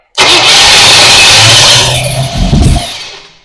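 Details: 1966 Pontiac Parisienne with new Edelbrock 4-barrel carb, intake and HEI distributor, cranking: loud sudden bang, then rumbles and dies. Backfire spitting fireballs; timing suspected too far advanced or 180° out, with electrical problems also suspected.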